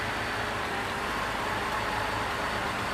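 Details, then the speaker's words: 2006 Cadillac CTS 3.6L VVT after a near-full rebuild (timing chains, guides, gears, valve job), originally with low power and chain noise: a soft, even idle with a steady low pulse and no chain rattle or ticking; normal idle. "We let it run and get all the bugs out, but we're good to go, man."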